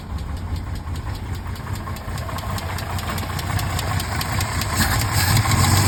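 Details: 1968 Mercedes-Benz 230 inline six, restarted after sitting about a month and after a Zenith 35/40 INAT carburetor repair with a leaking fuel return valve rebuilt: light, fairly regular tick at about 2.5 per second over the idle; the lifters have ticked for over 30 years.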